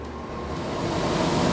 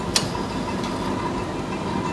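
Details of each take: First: Miller trailer-house furnace after blower repair, squirrel cage re-clocked and centered: smooth, even rushing air building slightly, no rubbing, ticking or wobble; blowing much harder, normal operation. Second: Furnace, first firing after blower repair: steady motor hum with thin tone and weak air rush; squirrel cage left untightened, slipping on motor shaft.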